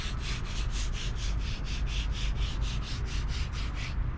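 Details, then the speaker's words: Old front wheel hub bearing removed from a Ford Fusion during hub replacement, turned by hand: gritty, pulsing rasp about three times a second, a roaring sound when driving; worn wheel hub bearing. "hear that that one making noise making a crane in song and driving our roaring sound I should say"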